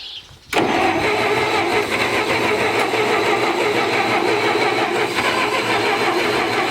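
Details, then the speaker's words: Massey Ferguson 65 tractor with temporarily rebuilt carburetor, given starting fluid: brief crank then catches and holds steady busy run only on starting fluid; fuel system needs more carb work. "we're gonna give it just a little snuff of bill cosby in the can here oh and uh we'll see if she'll fire up i hope it will and hopefully it doesn't blow this things up"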